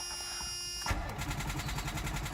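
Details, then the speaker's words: Mercedes SL600, first start attempt after mass airflow sensor wiring repair: slow dragging uneven cranking that never catches; battery too weak, secondary power supply connected next. "week oh well nope oh well the battery is weak all right so let me connect a secondary power supply to it"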